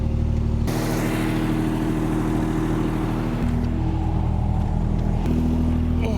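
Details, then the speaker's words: 1974 Triumph TR6 after years of sitting, driven slowly while warming up: loud rough low drone from the rear with an uneven clunky beat, starting as the clutch is released; differential suspected shot. "Holy crap. Do you hear that? Oh my god. What is that? I think the differential is shot. Yeah, that happens as soon as I release the clutch."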